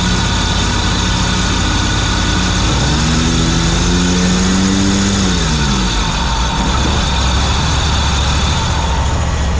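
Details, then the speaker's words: Ferris ISX 3300 riding mower after replacing a seized deck idler pulley and the belt it burned up: engine and deck run steadily and smoothly with no clanking or grinding, then shut off. "you can see I turned it on there's no sound of anything coming from the deck clanking or grinding it's very smooth"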